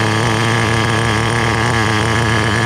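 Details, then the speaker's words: Restored vintage Team Associated TC3 nitro engine, no more fuel tank bubbling: a loud, steady high-pitched buzz under acceleration without sputtering. It runs okay, though the motor is a little warm and tank performance is still questioned. "As I accelerate, it seems to be doing okay."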